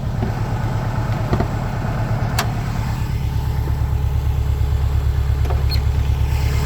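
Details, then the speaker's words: 2006 Subaru Legacy 2.5GT, warm idle, no check engine lights, new OEM thermostat and coolant, 740cc injectors and AVO intake/top mount: steady low burble with an even pulse of about three beats a second, no knocks or misses. Idle is smooth and healthy. "um no check engine lights idle is really smooth"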